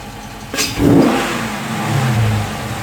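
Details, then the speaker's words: 2016 Dodge Charger Scat Pack V8 with a newly installed JLT cold air intake, warmed up, blipped free revs: deep bark rising and falling cleanly back to idle, no misses or rattles; normal, exhaust perhaps slightly deeper. "Alright, seriously, that sounds pretty good. Like I said, even if you don't get a lot of performance out of this, that noise is, I like it."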